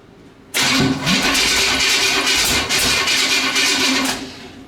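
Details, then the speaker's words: Nitrous small-block Chevy V8 in a fresh build, first start: catches abruptly into a loud ragged roar with sharp popping, spitting and backfiring, shooting fire out the pipes; owner says it needs more timing and fuel. "be careful because it is shooting fire out"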